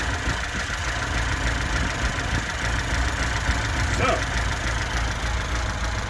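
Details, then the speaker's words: 1979 Lada Niva carburetted petrol engine idling steadily and evenly at about three beats a second, no knocks or misfires, "like a sewing machine." This is after a new distributor and spark plugs; it had sat for years and blue-smokes slightly once warm, but not now. "It runs like a sewing machine. It's actually very good."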